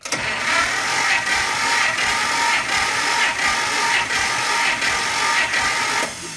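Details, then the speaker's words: 1953 Pontiac Chieftain eight-cylinder, compression test, throttle and choke held fully open, starter cranking: slow, even cranking about 85 beats a minute, no firing; 90 psi versus the manual's 130–180, low compression. "All right, you can see it reached 90 psi. That's well, it's not really too high. According to the manual which I have, this engine in a good condition should have something between 130 and 180, which is far from it, okay?"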